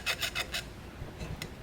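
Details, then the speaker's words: Early 1982-1987 pre-auxiliary 27-spline 700R4 transmission teardown, seven-vane pump: dry rasping strokes, four quick scrapes then fainter ones, pitch roughening over the scored pump face; pump is torn up. "oh you can hear it yep so definitely pump is torn up"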